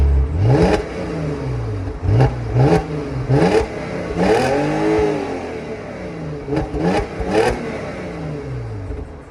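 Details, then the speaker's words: 2002 Audi A4 V6 cold start on stock exhaust before resonator delete: engine catches and settles, a few sharp throttle blips rise and fall cleanly, no knocks or rattles; sounds healthy. "You're about to hear the final cold start of the Audi with its stock exhaust system."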